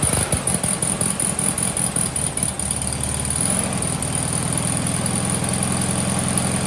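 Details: VW Sunbug air-cooled flat-four, just reinstalled with rebuilt transmission, mechanical oil pressure gauge fitted: after a brief rough catch it settles into a steady, even idle with no knocks or misses; healthy.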